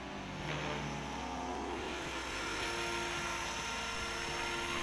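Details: Align T-Rex 550 RC helicopter on a 5-cell 5000 mAh battery, test flight after replacing the failed one-way autorotation bearing: steady high rotor whine with even blade buzz, no grinding or rattle; normal flight.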